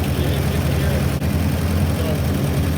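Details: Willys Jeep CJ3B at first start after restoration work, with a new coil fitted; compression read a little low. Deep, even idle with a steady low rumble, no knocks or misses: normal idle.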